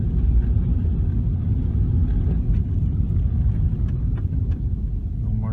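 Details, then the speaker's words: 2004 Ford Escape test drive on slushy road after replacing the scored, heat-warped rotor that squeaked every wheel revolution: steady low road rumble, no squeal or scrape when braking, no pull; brakes now quiet. "okay we're going down put on the brakes a little bit no more squeaking is it pulling to one side you know no"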